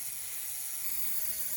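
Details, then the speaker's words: Bowser PRR M1 4-8-2 HO steam kit, DC71 motor, first power-up: a thin, high buzzing whir with a rattly edge, a vibration noise felt to come from the worm. It needs oil, and gear mesh is maybe slightly loose; filing the motor mount is planned. "it feels like that vibration noise is coming from the worm that's not bad though"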